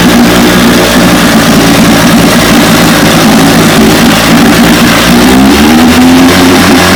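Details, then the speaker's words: 1957 18 hp Johnson outboard, restoration #106, barrel test run: loud, even two-stroke buzz climbing smoothly in pitch as throttle opens, no misses or knocks; passed the barrel test, running healthy. "as you can tell she's a beauty once again uh destroyer 106. 1957 18 horsepower johnson passed the barrel test"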